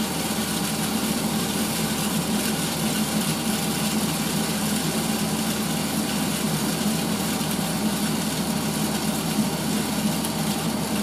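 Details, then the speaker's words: 1980s Tefal Spinmaster spin dryer, 2,200 rpm maximum, empty spin: steady even motor hum with a light high-pitched buzz and water rushing through; runs smoothly, nothing irregular. "i'll do an empty spin so you can hear the um motor that's the sound of the water going through"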